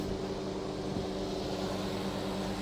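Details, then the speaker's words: Roadside dumpster microwave, found completely dead (fuse suspected open), now repaired with the cover off: a steady, even low hum with no crackle or buzzing, operating flawlessly, though the door has a bad contact; normal running. "and look at this our lack of tender looks to be a miracle maker because this thing is operating flawlessly now"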